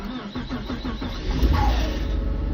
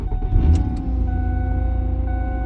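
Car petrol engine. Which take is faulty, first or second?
first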